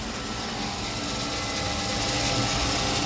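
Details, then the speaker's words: 1997 Mercedes-Benz 500SL at cold idle on pre-purchase inspection: even idle under a loud steady fan rush, with a slight tick attributed to the ABS unit, no knocks or misses. Engine runs smooth from cold. "just fan noise really. And that tick is coming from the ABS unit. But for the most part, seems to run pretty good."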